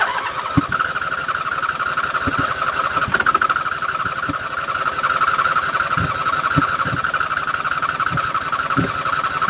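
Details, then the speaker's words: 2007 Husqvarna YTH2454 riding mower, freshly hosed down and wet, deck belt removed: steady starter whine with loose, uneven thumps, cranks but never fires; starter still warm from earlier tries; owner suspects water from washing, cause unconfirmed. "yeah she's not firing now yeah i don't want to burn the starter up"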